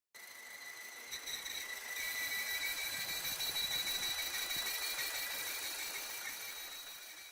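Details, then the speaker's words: Audi 1.8/2.0 TFSI idling with a steady high whistle pulsing about three times a second and rough idle from a failed PCV valve, which also blew the rear main seal causing heavy oil loss. "There are three main symptoms of bad PCV valve. The first one is whistling sound and rough idle. Listen to this."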